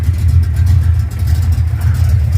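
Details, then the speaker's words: V8 after exhaust and H-pipe repair following off-road damage, headers checked: deep, even idle burble with no puffing or ticking; no exhaust leaks, H-pipe sealed. "I don't feel any exhaust leaks anywhere. I'm going to touch it while I still can."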